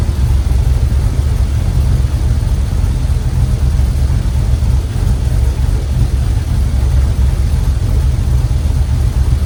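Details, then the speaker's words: 1967 Chevy C10 with LS swap, plugged injectors from dirty fuel, after forgotten injector plugs on one bank were reconnected: deep, even V8 idle with no stumble; all eight firing. "So, instead of four cylinders, that's running on all eight."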